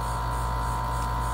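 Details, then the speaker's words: Dometic RV air conditioner cooling but not blowing: the compressor groans with a constant hum while the fan motor, extremely hot and getting 116 V on high, won't start. It runs only when spun by hand, so the capacitor is suspected. "ssor is running you can hear it groaning but the fan is not spinning so what we need to do is see if it's a capacitor or if our fan motor is bad"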